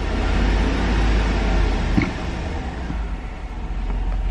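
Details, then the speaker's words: 2008 Chevrolet Tahoe, 5.3-liter V8 with active fuel management, 153,080 miles, well warmed up with good oil pressure: low, smooth, quiet idle with one brief blip; a collapsed lifter's tick is noted elsewhere but not heard here. "and if you hear right now it's nice and quiet motor does hold good oil pressure and it's well warmed up"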